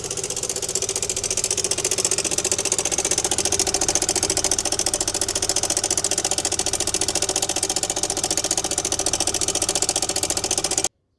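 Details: Yamaha XMAX scooter engine idling with a fast metallic chattering rattle from a slack cam chain; fixed by replacing the cam chain tensioner.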